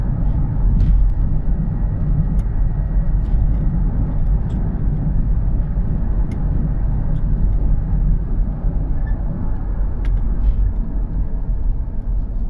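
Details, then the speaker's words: Honda CR-V while driving: constant low hum droning under road noise that grows louder with speed; suspected worn front wheel bearing, though the bearing showed no free play when checked. "the noise seems to be increasing as you uh go up in speed so the faster you go the louder the noise is getting suspect it's potentially a wheelbarrow"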